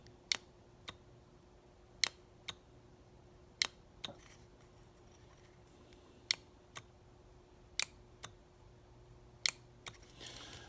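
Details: John Deere 310D backhoe forward/reverse/neutral reverser solenoid, on the bench, coils energised: sharp, crisp clicks at uneven intervals, about ten in eleven seconds, in a quiet room show normal valve shifting. In the machine, reverse sounded more energetic than forward; now both sound alike.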